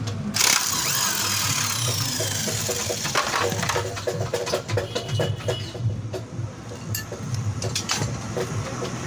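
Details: Old-model Suzuki Access 125 scooter idling: loose, uneven rattling knock from the magneto side over the engine note; traced to loose magneto cover bolts after earlier repair failed.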